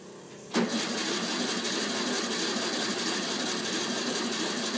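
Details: 1964 VW Bug parked over 10 years, first start attempt with battery and gas poured down the carb: starter kicks in abruptly, engine churns steadily several seconds without catching; extended cranking of a long-stored engine reluctant to fire.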